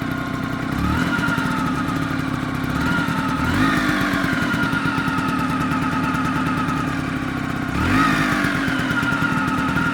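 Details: Vespa PX two-stroke scooter idling after a new clutch was fitted; rough, clattery rhythm with three quick throttle blips, an unidentified weird engine noise.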